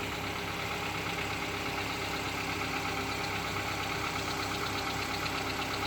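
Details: 2014 Kia Cerato engine, cold start in cold weather, idle as revs drop, heard from below near the wheel: light, fairly regular tapping about three per second, gone after 3–5 minutes; no scoring, no oil use; owner suspects piston slap.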